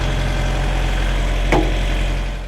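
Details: Truck reefer unit diesel after the owner replaced its failed starter: deep, steady idle with an even beat and no knock or stumble; running normally.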